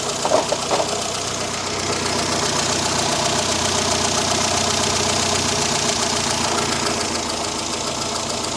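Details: Morris Minor four-cylinder on carburettor at low, even idle after richening toward 13.8–14 AFR and lowering idle speed slightly; light mechanical rattle on top, steady and smooth; normal idle.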